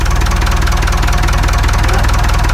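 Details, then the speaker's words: Perkins 4236 marine diesel in a sunk narrowboat, idling after first startup; start circuit still to be figured out. Deep steady thrum with regular firing, no stumbles or knocks. Normal idle. "Got to figure out the start circuit. At least it's running."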